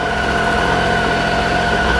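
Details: 2013 Triumph Tiger 800XC, with a hot-start starter problem, idling during a charging system check showing 14.1-14.2 V. Steady, even idle with smooth low drone, no knocks or misses: normal idle.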